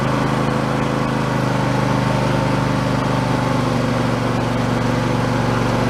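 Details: Husqvarna YTH2454 mower with a 24 hp Intek V-twin, after a carburettor rebuild kit: steady, even throb with no surging or missing. Running normally after the repair.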